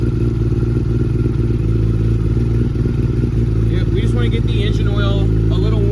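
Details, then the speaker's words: Kawasaki ZX-10 roll-race sportbike idling after a cold start, warming oil before an oil change: steady low idle with an uneven, loping beat about four times a second. "So, hey, listen to that idle. >> Yeah. Sounds like it's a a cam."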